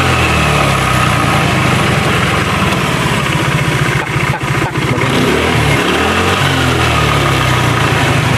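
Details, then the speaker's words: Honda Vario 110 scooter that stalls after about 100 m when hot, runs rough, with thin white smoke; run hot and hard, then revved: dry rapid tek-tek ticking rattle from the CVT, mechanic suspects worn clutch shoes (kampas ganda). "kadang ada timbul suara tek dari dalam sini. Itu suara CT ini kasar banget."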